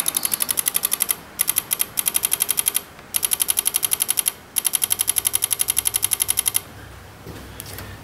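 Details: Chrysler Pacifica with many electrical faults, pressing the horn button during a test-light check of relay pin 86: rapid sharp relay clicking in bursts, about four a second, from the integrated power module (TIPM); cause unconfirmed.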